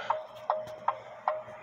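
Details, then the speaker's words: Clock heard through a TimeTrax model 60 beat amplifier clamped to a lower finial, not metal: crisp, evenly spaced ticks about two and a half per second; clock running in beat. "and you can hear the clock is in beat"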